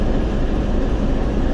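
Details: TEP70 0237 V16 locomotive diesel idling at start after repair, not yet warmed, run 2-3 minutes, compressor off: heavy low rumble, even idle, no knocking or hunting, almost no smoke; normal idle.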